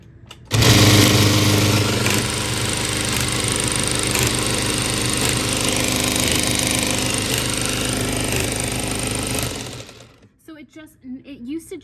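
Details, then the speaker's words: Reece industrial buttonhole sewing machine: steady fast needle clatter at about three to four stitches a second that keeps going over and over instead of stopping after one buttonhole; cycle stop not tripping, cause unknown. "used to just sew one buttonhole and then it would stop. But now it doesn't stop. And unless I turn it off, it just keeps sewing this button like over and over again."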